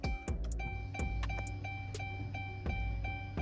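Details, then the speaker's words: 5.7 Dodge Charger on E85 after installing a Hellcat fuel pump, engine off, priming the system: steady high hum with a thin even tone and light clicks; new fuel pump primes cleanly and works. "All right, so we're gonna prime it one more time. Like, just listen to the fuel pump, just listen close. Yo, that fuel pump is working."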